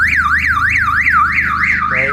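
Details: 1990 Toyota Supra MK3 no-start despite a new starter relay, starter, spark plugs and coil wires: loud warbling siren sweeping about three times a second as the aftermarket alarm goes off; owner suspects the alarm system prevents starting.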